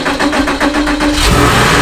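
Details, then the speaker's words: Junkyard-bought crashed Porsche Boxster 986, first start after adding oil and a charged battery: slow, even cranking, then the engine catches cleanly and settles into a smooth, steady run with no misses or smoke; healthy start. "oh my God it runs yes no no way oh yes no way started up very nicely no smoke"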